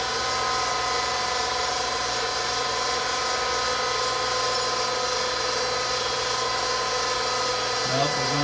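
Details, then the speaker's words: Vertical well jet pump just after its seals were replaced, mounted higher than the tank, restarted: a steady motor drone with an airy hiss and no change in load. It is not catching prime or picking up water. "wait and see if it's going to catch up doesn't look like it"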